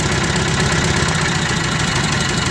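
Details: Nissan K21 engine with replaced ignition coil at steady rough idle, uneven low thump in the beat; cranking suggested low compression, so relative compression test planned with oscilloscope: misfire at idle, possibly from a low-compression cylinder.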